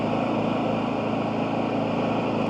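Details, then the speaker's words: New Champion 11000 tri-fuel inverter generator under a light 600-watt load: the engine hums at a steady, even speed with none of the lean-running idle popping it has at no load. "Right now I have a very small load on here. It's only 600 watts. You hear how smooth it"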